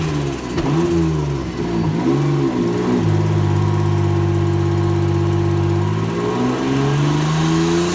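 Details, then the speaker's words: Turbo GTO race car on a dyno with factory ECU and injectors, about 421 flywheel hp, pulling under load and boost: raspy, lawn-mower-like chuffing from an exhaust leak at a manifold-to-head flange not machined flat. "I had an exhaust leak which I didn't know too much of you could just hear it and some earlier pictures but yeah it wasn't really until it started coming on under load under booze that you could hear it"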